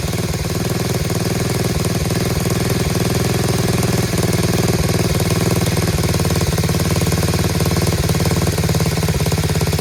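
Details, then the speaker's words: Chinese Tao Tao 125cc ATV quad with new carburetor, idle screw turned in half a turn: steady, even, quiet low idle with a regular soft pulse, running on its own with no knocks or misses; normal idle. "how about it fellas running on its own dude it's quiet huh really quiet sounds great"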